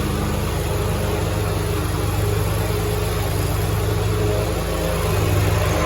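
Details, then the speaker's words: Grasshopper 227 zero-turn mower, test run after repairing a broken wiring harness to the electric PTO clutch that left the blades not engaging: even, steady engine drone with blades spinning, no slipping or squeal, normal running with blades engaged. "The blades, you should physically hear the clutch popping on. I believe we are fixed."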